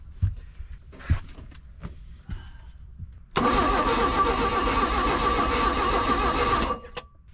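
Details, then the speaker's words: 1991 Four Winns OMC 4.3L boat engine on a fully charged battery with gas poured into the carburetor; the starter whirrs evenly but nothing fires. Owner doubts there is spark despite the tester, finds no power at the coil and questions the plug wire order. "Not convinced we're getting spark, even though my spark tester said we did."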